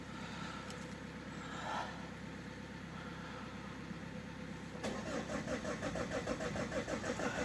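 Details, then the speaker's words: Second Opel 1.9 diesel that won't start in winter, repair not yet successful: steady starter churn at about three compression pulses a second that never catches. It cranks without starting. "There's no start here. Yes, so far the operation has failed."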